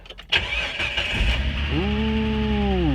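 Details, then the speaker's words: 2000 Jeep TJ, high mileage, after replacing crankshaft sensor with torn wires that caused crank-no-start: short crank, fires right up and holds steady idle, no hesitation or repeated cranking; normal start. "right up all I needed you go he's been great to me"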